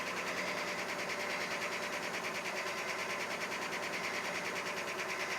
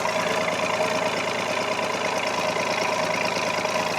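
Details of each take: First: 4WD beater truck, cold start at 23°F, oil pressure coming up. A light, quick tick of about three per second rides over the idle hum. The tick has always been there and eases as the engine warms. The truck had an oil leak, now found; tick cause unconfirmed. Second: Carbureted 4WD pickup idling in 23°F cold, listening at the exhaust of the good bank's three cylinders (the other bank has one bad cylinder): an even putter with a regular firing pulse and no miss. Normal idle.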